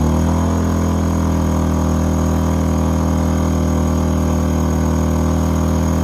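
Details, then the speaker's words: A-iPower SUA1500i 1500 W gas inverter generator running a heater after an overload trip, load switched between 1,200 and 500 watts: steady, even drone with no hunting or stumbling; normal running under load. "So I'm gonna just put it back down to 500 watts. You hear it change? Take it back up 1,200."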